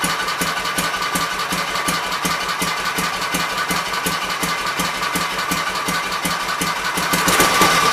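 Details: Kohler K241 single-cylinder engine, likely off a Gravely 810, revived after mixture screws set to three turns: even quick idle of about three firings a second, no misses or surging, not really smoking.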